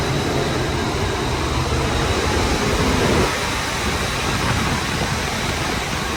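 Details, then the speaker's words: Daikin commercial air handler after the blower motor and both blower bearings were replaced: a steady, even rush of air with a smooth hum and no vibration or rumble; the worn bearing was the culprit. "Vibration's gone. This was the culprit."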